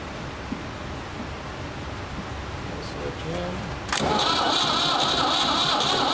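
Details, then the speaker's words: Ford 3600 diesel tractor with rebuilt CAV injection pump, bleeding injectors: starter churns about four beats a second and never fires, only faint attempts and no smoke from the stack; owner suspects the high-pressure section of the pump is frozen, seized plungers. "so i think the pump there must be something in that main pump section that generates the high pressure that's froze up or something so i'm gonna have to pull it back apart as much as i hate to"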